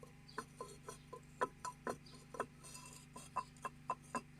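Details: KamAZ 740.13 diesel idling with a sharp metallic knock about four times a second near cylinder 8. It eased but did not stop when injector line 8 was loosened, and the liner was found scored: piston knock.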